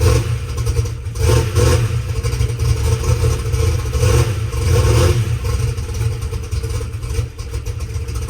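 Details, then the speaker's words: Methanol drag race car V8 after sitting two weeks: loud lumpy low rumble holding steady idle, light rocker arm clatter, a little noisy but not terrible; no exhaust leak ticks, runs fine. "But overall, I didn't feel any exhaust leaks, didn't hear anything. Rock arms sounded fine. They're a little noisy, but not terrible."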